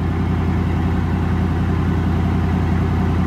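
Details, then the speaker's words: Van's V8 modular engine idling, a little exhaust smoke seen: low, uneven loping beat about three to four pulses a second, like a cylinder misfiring; owner says it sounds like it runs on seven of eight cylinders. Cause unconfirmed. "sounds like it's running on at least seven and five eight cylinders so that's something"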